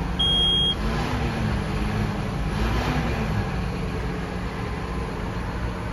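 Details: 2017 John Deere 6215R TLS tractor, 6.8 L six-cylinder 215 hp diesel, 5056 engine hours, DirectDrive 24/24 transmission, just started: low steady idle with an even rumble and one short beep at the start; healthy normal idle.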